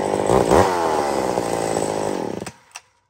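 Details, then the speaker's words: McCulloch SP81 running a new 32-inch full-house chain with the rakers touched up, cutting a big balsam log under full load. It screams at high revs and holds speed through the cut, tuned on the ragged edge, then drops off; a strong, healthy saw pulling hard. "okay that is an incredible so I was I was up there friends it was on the Ragged Edge and I like that saw once in a while"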